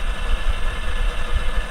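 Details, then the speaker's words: Failed Western Digital Green 1TB WD10EADS hard drive from a My Book USB enclosure, about seven to eight years of power-on time, running opened: rough, uneven low rumble with irregular thumps; head or spindle fault, undetermined. "I don't know if that's going from the head or the spindle if you have any hard drives professionals out there now I don't see any sparks fine it doesn't look like the heads touching the platter it looks awful close though"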